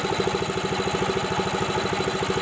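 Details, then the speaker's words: Yamaha Mio M3 125 scooter idling after the worn fan pulley was replaced, listened to from the right side toward the CVT; earlier rough kletek noise (blamed on no CVT grease) gone. Even steady beat, no rattle: healthy idle. "Sekarang dengarkan ya bagian daerah sini halus ya. Halus."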